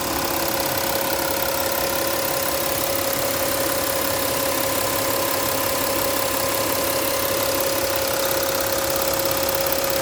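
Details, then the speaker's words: 2015 Porsche Cayenne Diesel idling: light, quick ticking over a steady hum, the normal sound of its high-pressure diesel injectors. "You can hear the injectors ticking. It's a different sound for those who aren't used to the uh you know the high pressure fuel pumps and whatnot."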